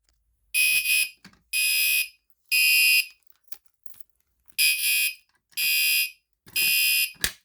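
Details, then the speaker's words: Newly installed fire alarm horn changed to code 3 and tested from the pull station: loud high-pitched blasts about half a second each, in groups of three with a pause between; the standard code 3 temporal evacuation pattern. "now I changed the fire alarm to a code 3 horn it's to its regular tone but let me go ahead let's go ahead and test it again 3 2 1 [Music]"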